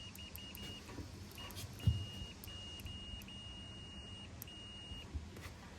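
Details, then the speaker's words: Comfort Cool air conditioner that will not run. The contactor is pulled in with 24 V present, but there is zero voltage going in. Fuse continuity test: one fuse beeps, the other gives no tone. The blown fuse cuts 240 V to the condenser. "should have continuity there so it should beep if the fuse is good but as you saw one of them was beeping so one of them was good the other one was bad so that's how we're not getting our our 240 out to the condenser"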